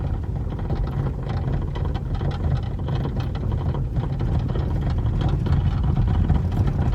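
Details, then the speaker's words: Chevrolet Cruze rear suspension: loud irregular hollow metal-on-metal knocks over rough asphalt and worse on cobblestones, from a worn, displaced rear shock absorber mount rubber compared with the other side. "muito forte na suspensão traseira barulho que é perceptível no asfalto irregular como a gente está andando aqui no asfalto irregular e se torna ainda mais perceptível no calçamento"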